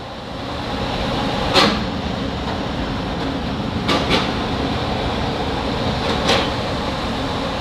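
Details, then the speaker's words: DIY shop fan built from a recycled HVAC squirrel-cage blower, damper pressed down for high setting: steady, even rushing-air roar with low motor hum, no rattles or rubbing; blower running smoothly at high speed. "can hear it ramped up to a higher speed so in the scene I was trying to show you how powerful the fan was and the effect that I was going for"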